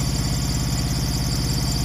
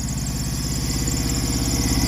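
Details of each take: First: Truck APU small diesel after oil, coolant and oil, air and fuel filter change, covers back on: steady low thrum with an even, unbroken beat, no knocks or misses; running pretty good, healthy. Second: Truck APU small diesel after oil, coolant and oil, air and fuel filter change: even idle with a faint high chirp riding over it; the AC clutch pulley is squeaking.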